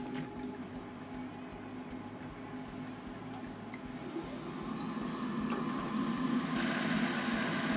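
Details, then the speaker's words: Navien NCB-240 combi boiler after circulator pump replacement, at 20 psi and purged; quiet steady hum with soft, even pulse about four a second and smooth rise as it fires; new pump running quiet and normal. "you can hear the pump is nice and quiet now someone go run some domestic hot water make sure we're good"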